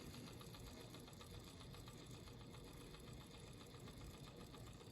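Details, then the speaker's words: Jefferson Golden Hour mystery clock, AC synchronous motor, after repair and set to 6 o'clock: faint, even whirring with light rapid ticking and no rubbing; motor running normally and later keeps perfect time. "You can hear it a little bit. I don't know, Neil. I think it's working, Neil."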